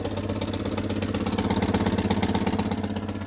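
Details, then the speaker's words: Citroën 2CV air-cooled twin at idle with a hole blown in the exhaust manifold, a metal flap pushed back and getting very hot: sharp, raspy chuffing at every firing pulse. Exhaust manifold leak. "she's blown a hole in the manifold so i've just pushed back a flap of metal under here that's getting very hot very quickly that's where the blow is"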